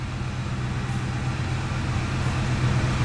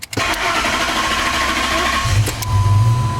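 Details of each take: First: Ford F-150 V8 after a repair for power loss, hard starting and lean fuel trims. It starts right up with no long crank and idles with a smooth, even rumble and no misses, warming up. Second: Ford F-150 with power loss, rough running and check engine light, fuel trims high (about 29-30 long term): starter churns about two seconds before catching; long crank time, hard start from low fuel pressure.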